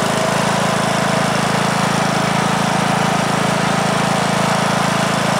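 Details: 2003 Simplicity Regent lawn tractor, Briggs & Stratton single-cylinder engine (date code 03, 19 years old) after years unused in a shed; first start after repair: steady even drone, starts easily, runs okay but blowing a lot of smoke.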